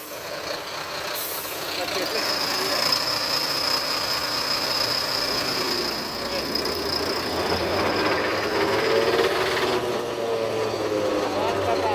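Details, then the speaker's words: BharatBenz truck with genuine unmodified body, stationary with engine running and gear engaged: steady high whine over a rough rhythmic drone from the rear axle; noise traced to the differential crown wheel, crown to be opened for inspection. "अब इसका crown खोल कर अभी check करेंगे। बंद कर दो गाड़ी। क्राउन खोल कर चेक करेंगे कि क्या दिक्कत है इसके अंदर। RT वन क्राउन से आवाज आ रहा है।"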